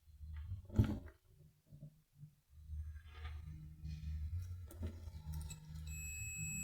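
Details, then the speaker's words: Whirlpool microwave that was noisy and not heating: fuse removed and tested on the multimeter continuity setting. After handling clicks, a steady high beep sounds, so the fuse is good. "si está en buen estado se va a escuchar este sonido"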